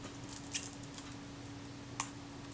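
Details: Kodak Retina IIc camera after film advance and shutter coupling adjustment: a few crisp isolated shutter clicks, nothing dragging or sticking; release trips cleanly, normal shutter release.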